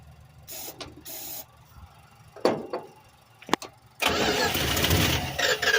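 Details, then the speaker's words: 1986 Dodge W150, fuel line off the carburetor while priming: scattered faint clicks, then the engine catches with a loud rough roar on starting fluid before fuel arrives. "So what we're gonna do now is we're gonna just pop her off and see. Try to get that fuel primed up."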